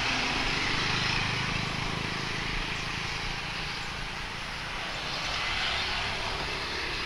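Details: Speedybee Mario 5 DC FPV drone, Axisflying 2207.5 1960KV motors, T-Motor 5146 three-blade props, test flight after repairing stuttering motors. Even, high prop buzz through the whole pass with no cutting out or stutter; motors sound healthy.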